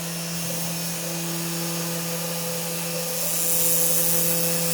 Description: CNC machine running Mach3. 3 weeks of chasing a noise problem, solved with an Opto isolated breakout board fron cnc4you.co.uk.